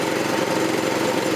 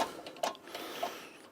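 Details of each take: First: 1984 Troy-Bilt tiller with 6.5 HP 212cc Predator engine, replacement short-nose spark plug fitted after a no-start: steady, even, fairly quiet idle with no misses or surging, sounds no different from last year; normal. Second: Troy-Bilt tiller repowered with a 6.5 HP 212cc Predator engine, on eight-month-old gas, choke on: recoil pulls spin it with a brief rattling whir but it never fires; spark plug suspected.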